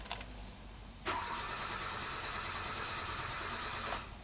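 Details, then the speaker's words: 2012 Hyundai Accent that intermittently stalls and won't start, relay already replaced without fix, check light missing at key on: starter spins engine briskly and evenly about three seconds, never catches; healthy crank, no start, cause not confirmed. "so it does crank healthy right but for some reason not started okay all right so we definitely have a crack new start right"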